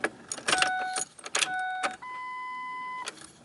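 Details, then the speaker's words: Car's first start after the engine was reinstalled: in a quiet cab after the clicks, a steady mid-pitched electric hum runs about a second before stopping, the fuel pump priming normally. "So I'm hoping that's fine. You can hear the fuel pump going."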